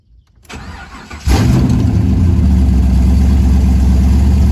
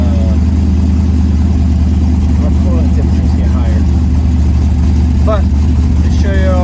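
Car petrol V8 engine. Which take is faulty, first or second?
second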